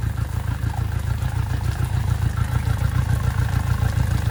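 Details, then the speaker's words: Yamaha 60 hp outboard on a DIY On the Bay Craft 17'5 skiff, first start after mounting, shifted into gear and back to neutral: steady low drone with even pulsing that rises and falls with revs, no knocks or misses; idling good, running normally. "See if she'll hop into gear. Sounded like it. Hello. Back to neutral. Hello. All right. All right. I mean, she's idling good."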